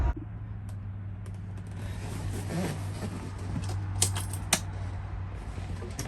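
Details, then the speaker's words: 1971 Peterbilt 352, after replacing the rusted air tank: low, steady diesel idle with a few light clicks while building air (about 15 psi), oil light out; sounds good, no major air leaks heard. "So I don't hear any air leaks. Man, listen to that thing. Sounds good. I don't hear any major air leaks out here."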